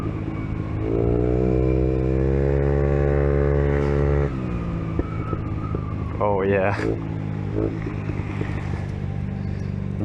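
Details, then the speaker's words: Peugeot Kisbee four-stroke scooter with a newly fitted aftermarket exhaust, warmed up: buzzy single-cylinder revs rising and dropping with sharp pops on the overrun; the backfire means the carburetor isn't properly tuned and should be adjusted. "I guess you should adjust the carburetor because as you can hear if your exhaust backfires it means it's not properly tuned but small backfire doesn't hurt your bike"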